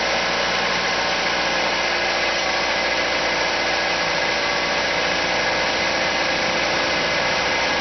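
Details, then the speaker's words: Car that revs up at cold start and in P or N, staying high until shut off and pushing against the brakes: steady raised idle with an even hiss-like roar; owner suspects a vacuum leak, none found with carb cleaner. "So I think there is a vacuum leak in anywhere. So today I want to check the vacuum leak."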